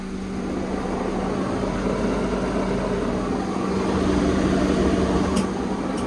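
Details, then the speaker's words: 2004 Honda Civic 7th gen, wheel spun while driving to check bearings before full suspension overhaul: steady low hum with rough rumble underneath from a worn front wheel bearing; shocks also worn, boots torn. "बस रोक दो। इस तरह का ना व्हील का बैरिंग आवाज़ करा, ठीक है।"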